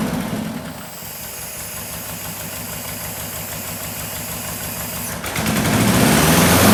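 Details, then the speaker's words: 1976 Porsche 914 VW Type 4 2.0 fuel-injected engine, barn-stored 30 years, run on a test stand out of the car after oil, plug, fuel line and vacuum hose work. Uneven, lumpy idle that surges; plugs ungapped, possible vacuum leaks, no air filter. "starting to sound a little better all right tomorrow we'll mess with the timing"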